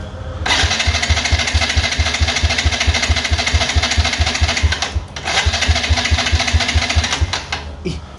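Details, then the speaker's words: Yamaha Jupiter Z1 fuel-injected motorcycle, compression test while hand-starting: fast, even cranking thumps with little resistance. The owner reports the starter feels loose and power is lost. Compression reads below the minimum (standard about 10–12), showing a severe leak. "rendahnya ni jadi ini rendah sih guys ini sudah di bawah minimum ini guys"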